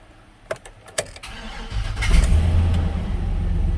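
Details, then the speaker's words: Chevy 3500 V8 dead-cold start: a few clicks, then it catches and settles into a steady even idle with no tapping or knocking. The mechanical gauge reads only about 18–19 oil pressure cold, so low oil pressure is suspected. "As you hear, the motor doesn't make any noise. Other than what you would think it would make."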